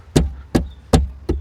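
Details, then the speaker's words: Tata Punch rear end over rough road: four sharp low hollow metallic clunks about 0.4 s apart; rear seat frame knocking its steel mounting beam, stopped by packing newspaper, rubber pad or foam planned. "ऐसा लग रहा है कि कोई दो लोहे की चीजें आपस में जैसे छनछन की आवाज कर रही है"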